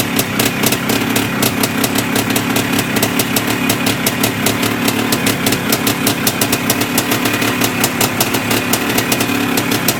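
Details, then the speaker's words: Yamaha IT490 two-stroke after engine install and rebuild, running 40:1 premix after a few heat cycles, with a temporary silencer stuck on; crisp, rapid, evenly spaced ring-ding popping at a steady idle, running cleanly. "anyways we're fired up it's good enough for now while i'm waiting for proper parts to come"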